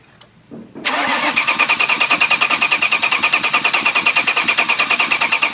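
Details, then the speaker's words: Crank-no-start vehicle during a spark check with a screwdriver at the ignition: starter spins the engine at a steady, even cranking rhythm for several seconds but it never fires or catches. "so he's gonna go ahead and crank it and then I'm gonna use the screwdriver we're gonna see if we got the spark coming from here"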